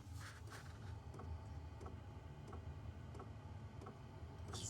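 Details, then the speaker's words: Hcalory Toolbox Max diesel heater running from a small power station: soft, even ticks about one and a half times a second over a low fan rumble as the fuel pump kicks in; normal, quiet pump operation. "You hear the clicking noise. If you can hear it. So, the fuel pump is kicking in now. Not loud at all."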